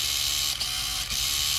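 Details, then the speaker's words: Hobby Plus CR-18P Trail Hunter EVO RC crawler, new out of the box: thin, high-pitched whine runs steadily under the motor with brief dips; owner suspects a gear mesh problem in the transmission, not confirmed. "it sounds like there could be something going on with the gear mesh in that transmission. I'm not 100% sure."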